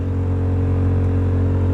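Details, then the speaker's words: 2000 BMW E39 M5, key on with the engine off, blower on setting three; the blower motor sits behind the firewall. Loud steady drone; owner suspects a bad bearing or broken blades making it vibrate and click. "I've probably got a bad bearing in there or some broken blades and it's out of whack and it vibrates and then clicks"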